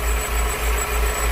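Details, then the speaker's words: Steady idle hum with a faint thin whistle on top; noise heard near the pump but reflected toward the back, water pump suspected. "será que tá ruim a bomba d'água o engraçado galera que fazia o barulho aqui e ela reflete lá atrás né por isso que eu suspeitei ali"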